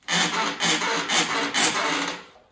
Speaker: I mean what is that sound we're going to diagnose we're going to take it apart and figure it out and show you exactly how to fix it